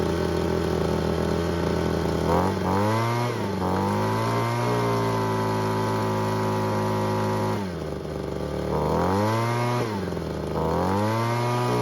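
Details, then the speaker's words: Ryobi two-stroke leaf blower that wouldn't start, after ignition coil replacement, refuelled and purged, choke not fully off: fires up promptly, runs strongly, pitch swinging smoothly with throttle blips; normal start and run. "And as you just saw, it started right up as it should have, which meant our gamble to replace the coil was correct."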